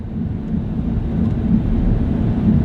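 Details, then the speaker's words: Truck rolling slowly into a park after a heavily loaded dump run, check engine light on: constant low droning wheel rumble under the engine, no clear rhythm; possibly a worn wheel bearing, cause unconfirmed. "All right, so we're just pulling up to the park right now. You can probably hear that wheel"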